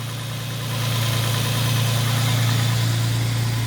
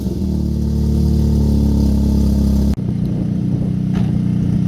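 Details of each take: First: Nissan G35 with aftermarket tubular headers, after fixing header-to-steering-shaft interference causing dash rattle (loose passenger downpipe tightened, new bolts and gaskets): steady smooth low idle hum, no rattle or buzzing vibration; normal idle. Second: G35 with aftermarket tubular headers, started and moved: a loud, deep, blatty unmuffled exhaust note from the downpipe left disconnected from the header, before the header repair for steering shaft contact causing the dash rattle.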